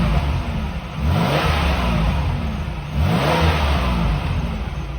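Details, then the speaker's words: 1990 Chevrolet Lumina Euro engine at very hot idle with over 20 psi oil pressure, radiator fans kicking on: two clean rev blips rise and fall smoothly with no knocking or ticking; healthy engine. "but listen to it even well the fans just kicked on conveniently but there's no knocking or ticking or anything like that"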